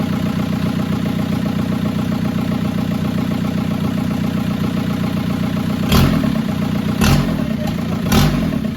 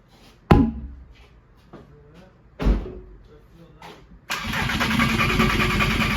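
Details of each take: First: VW GTI with a swapped 2.0 PD TDI diesel (2004 harnesses, turbo kit), first start: steady, even diesel idle clatter with a few sharper blips after catching; engine now running. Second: VW GTI with a swapped 2.0 PD TDI diesel (2004 harnesses, turbo kit), first start attempt with old fuel and an unverified in-tank pump: starter turning in bursts then cranking steadily without catching, apparently getting no fuel.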